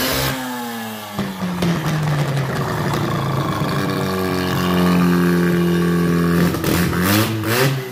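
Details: Freshly rebuilt rotary engine for a Ford Ranger swap, first test run with twin leading/trailing ignition and coil wiring not quite finished, on the old carburetor, smoking two-stroke oil. It gives a rough buzzy note climbing and falling with throttle and runs steadily, so it runs okay but needs tuning.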